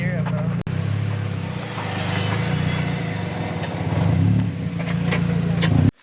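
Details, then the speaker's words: NB Miata race car, brakes worn out before new pads and rotors fitted: harsh, coarse, continuous metal-on-metal grinding over engine drone whenever the car slows; brake pads worn through grinding the rotors. "As you saw, the brakes are really messed up and they're like grinding metal on metal, like the noise is horrible."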